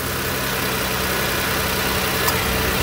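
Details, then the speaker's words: First-gen Ford Edge after replacing the electric cooling fan assembly (overheated when parked, A/C warm at idle), idling with A/C on: steady even fan whoosh, no rubbing, squeal or rattle; fans running normally. "so we're gonna turn this bad boy on kylie start this guy up and they're spinning right turn the ac on"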